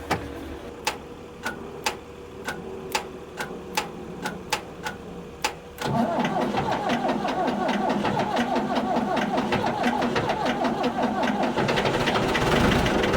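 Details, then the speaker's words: Ford 655A backhoe abandoned after sitting: six seconds of slow, spaced cranking clicks, then the diesel catches and settles into a steady, even idle that sounds good. "wow listen to that thing idle sounds real good"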